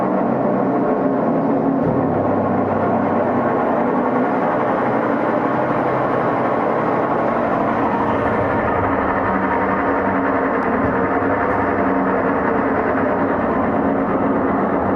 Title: #Whirlpool washing Machine garebox problem #mecanijam problem #bearing sound # noise problem